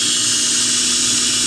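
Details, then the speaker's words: Center-tracking belt grinder prototype with small drive wheel, running in reverse after a fix for its earlier poor reverse running: constant, even high hiss and whine from the belt with no thumps, running as well as forward; normal running. "oh yes oh yes runs in reverse as good as it does forward i love it i love it love it love it"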